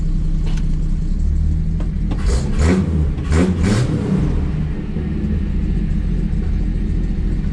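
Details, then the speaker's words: 1981 Chevy C10 squarebody, warmed up and idled down, in gear: deep rumbling idle with uneven swells and a couple of stumbles, some smoke; rough idle, owner suspects a slight exhaust leak. "The exhaust sounds different. Oh, what's smoking? So it may have a slight leak because that feels pretty rough."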